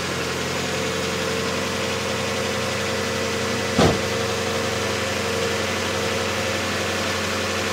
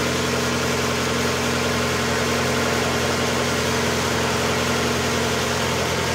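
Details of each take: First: 1992 Mazda Miata 1.6 L, about 121,000 km, first start after timing belt, idlers and water pump replacement with new oil and filter: light quick lifter ticking over idle, settling within seconds as the new oil pressurizes the system. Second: 1992 Mazda Miata 1.6 L with about 121,000 km, just after timing belt, idler, water pump, oil and filter replacement: brief noisy lifters at startup clear within seconds as oil pressurizes, then an even, smooth normal idle with no ticking.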